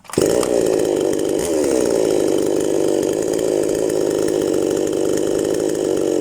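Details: New chainsaw, fresh out of the box, that at first would not start despite tuning and a spark check, now running after the fix. A high, steady two-stroke buzz holds constant without stumbling or surging; the saw runs normally.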